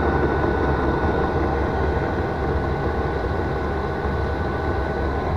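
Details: Chinese 5 kW portable diesel heater on bench test at about 12 V battery, no 14 V needed, running six to eight minutes on full power: steady even roar from burner and fan with a faint constant tone, no surging or misfire; normal.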